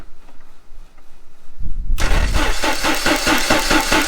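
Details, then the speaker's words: 1989 Jeep Wrangler YJ cranks but won't start: starter churns the engine with an even, rhythmic beat and it never catches. Fuel only drips from the throttle body injectors instead of spraying. "yeah nothing all right so we just checked it and sure enough there's no fuel going through the throttle body injectors"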